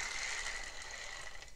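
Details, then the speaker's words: Shimano Stradic 5000 FK spinning reel, previously seized, with rusty components, before rebuild. Rough, gritty whirring with a raspy hiss as the handle turns, feels geary; likely worn reel bearings. "You can also feel a difference when you're actually spinning the handle. You can almost feel it being a little geary, and I'll show you what that sounds like."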